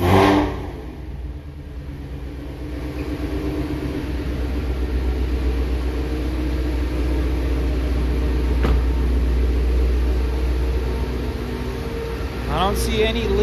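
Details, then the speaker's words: 3,800-mile 2019 Shelby GT350 with new Gen5 Whipple 3.0 supercharger and ARH catless long-tube headers, warm, kept out of boost on its start-up tune: deep, even, very loud V8 rumble with small throttle blips, no knocks, ticks or whistles; normal light revving. "that'll break your eardrums that is so loud I'm so happy right now"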